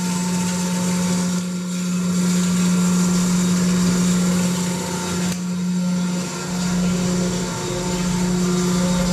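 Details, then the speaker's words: Electric fire pump back on normal power after generator test, on a 10-minute run timer before automatic shutoff: strong steady low hum with constant pitch, no knocks or rubbing; running smoothly. "we have our timer run light right now which like I said it's going to run for 10 minutes and then it'll automatically shut the fire pump off"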